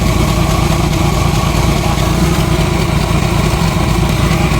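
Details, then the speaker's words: 1990 Jeep YJ 4.2L 5-speed, brand-new fuel pump already leaking: loud, low, uneven idle that stumbles now and then with a raspy puffing edge; misfire plus exhaust leak at idle; owner suspects plugs need replacing. "what the hell okay well I got it to sort of be iding it is missing out the exhaust leak"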